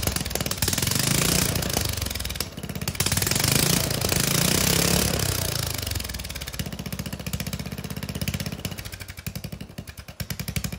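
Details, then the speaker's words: Lawn mower single-cylinder engine, muffler removed before a turbo is fitted: loud raw popping revs, dropping to a choppy sharp bark at idle. "all right well it doesn't sound great but I mean it's cool I guess"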